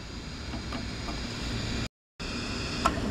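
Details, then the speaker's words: Heathkit IT-5283 signal tracer powered on with batteries reading 9.8 V unloaded: soft, even speaker hiss with no hum, crackle or popping apart from a brief dropout; audio stage working normally. "all right let's turn it on and see what happens getting the hiss from the speaker so that's a good sign"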